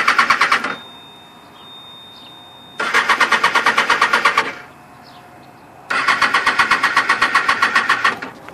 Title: 2008 Ninja Zx6r won't start please help